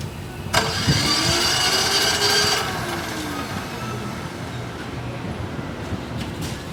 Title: Hard starter diesel generator SDG12800E